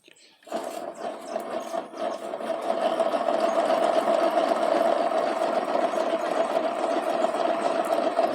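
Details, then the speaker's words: About 2002–2003 KSZ single-cylinder motorcycle engine with a dry fast harsh clatter; worn crankshaft bearings, piston also showing scuffing in the cylinder; bearings and cylinder to be renewed. "Só o barulho que D rolamento então V fazer todo o motor vab ela nova os dois rolamentos novos"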